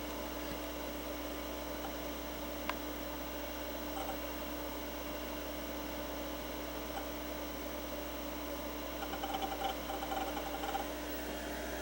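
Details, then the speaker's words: IBM PS/2 Model 50Z with a 486SLC upgrade, 5 MB RAM and a 30 MB hard drive, booting MS-DOS 6.22: steady fan hum, then a normal flurry of chattery hard drive seek clicks. "you can hear that wonderful chattery hard drive as the system goes ahead and Boots up"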